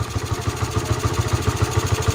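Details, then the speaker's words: Honda Sonic single after repair for hard starting, no idle and loud noise (leaking valves; worn parts and bearing replaced, cam renewed): starts easily, even steady low putt at five or six beats a second, no ticking or clatter; idling cleanly. "โอเคสตาร์ทติดง่ายครับเพื่อนหน้าชายเงียบไม่ดังเหมือนก็สามารถเดินเราได้ครับ"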